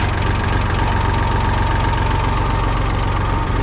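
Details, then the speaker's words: 1966 David Brown 880 Selectamatic diesel tractor idling evenly with steady pump hum over low engine throb; rebuilt Dowty hydraulic pump about 125 hours after rebuild, working normally with no issues. "we've got about 125 more hours on it and you can hear it kind of humming away here as we pan down and we haven't had any issues with it it works like a champ"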